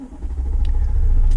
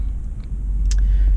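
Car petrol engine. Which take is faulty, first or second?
first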